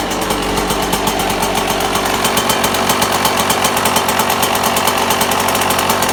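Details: 1998 Yamaha YZ125 two-stroke, cold start in freezing weather on choke: hard rapid rattling knock over each firing, diesel-like; owner suspects bad main bearing, unconfirmed.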